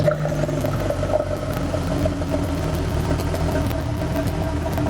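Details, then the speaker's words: Porsche 997.1 Turbo with manual transmission, just after a DIY swap to a new Bosch SR0451N starter (old one cranked intermittently and sluggishly): quick, even, brisk cranking with no dragging; the new starter spins much faster, nothing else changed. "so as you could hear the new starter so much faster and I didn't change anything else"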